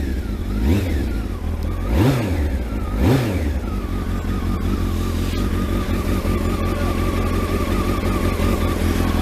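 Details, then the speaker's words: Kawasaki ZX12R after clutch install, running before first try in gear: three quick clean throttle blips then a steady even idle with no clatter; sounds really sweet and healthy. "Ida that sounds really sweet doesn't it"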